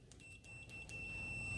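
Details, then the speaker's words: ANENG 613 multimeter in continuity mode with Pro Master test leads: steady, high, fairly quiet beep over faint room noise; fast response, maximum output only 63.2 dB. "oh yeah 63.2 DB maximum output in continuity and that my friends is not very loud"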